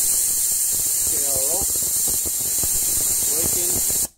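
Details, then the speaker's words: 2003 Holden VY Commodore 3.8 V6, 4L60E in limp mode, solenoid bench-tested with 65 psi air after flushing: steady hiss of air through the solenoid with brief clicks as it opens, working and passing air freely. "you can hear this one will actually even work click without the air pressure with the air pressure ideally"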